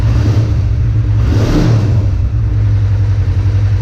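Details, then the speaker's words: 1985 Kawasaki 454 LTD EN450 twin after valve adjustment, new plugs, carb rebuild (A/F screws 2 turns out), compression 150/140 PSI, carbs not synchronized, warming off choke from cold: smooth idle and one clean blip returning freely, no vacuum leak; healthy. "don't have any issues with a vacuum leak or anything and it keeps coming all the way up that sounds nice"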